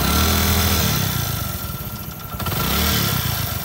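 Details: Prider 100 (CD100-type) single after a timing chain replacement, while bleeding air from the tensioner rod bolt: a steady idle that picks up cleanly on a couple of blips, with no chain slap or rattle.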